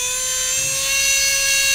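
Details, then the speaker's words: Brand-new FPV quad with preproduction brushless motors, one motor spooled up on the bench to about 90% throttle: piercing steady high whine with a harsh raspy edge; obnoxiously noisy motor, suspected behind the oscillations. "You can hear it. It's really loud, right? You can see it. It's freaking obnoxiously out of balance. Or maybe not out of balance, but it's obnoxiously noisy."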